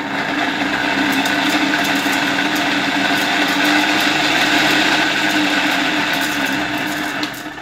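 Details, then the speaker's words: 1958 Omega type 1064 East German vacuum cleaner, original EM 87/50 K motor from VEB Elektroschaltgeräte Oppach, run up on reduced-then-raised voltage: steady high-speed rough, gritty whine with faint ticking from very worn motor bearings needing replacement. "Well, definitely this engine from 1958 from the VEB Elektroschaltgeräte factory in Oppa, the EM 87/50K type engine, will require replacing the bearings."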